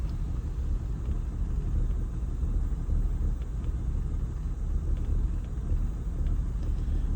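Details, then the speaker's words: 1997 BMW 328i E36, 124,790 on odometer, off the road 7 years, just started, MAF sensor unplugged, letting off the throttle: low idle sags then pulls back up without settling; unstable idle nearly stalling, crank and MAF sensor codes. "Let off slowly. See if it can idle by itself. All right, I'm off. Oh, okay. Wants to die. It's coming back. Coming back up."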